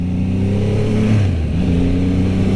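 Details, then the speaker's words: 2022 Triumph Rocket 3 R, 2500 cc triple with 165 hp, on a test ride: deep, smooth burble that dips on deceleration then pulls back evenly, with no knocks. A healthy engine that is not a high-RPM motor. "The motor has this unique sound to it. It sounds like a mixture between a Triumph motorcycle and a"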